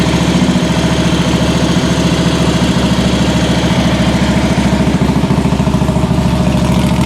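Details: 2015 Harley-Davidson Ultra Limited Low Twin Cam, first start after an O-ring fix for oil puking: the engine catches and settles into an even loping V-twin idle of about three and a half beats a second, with no knocks or rattles. Normal idle.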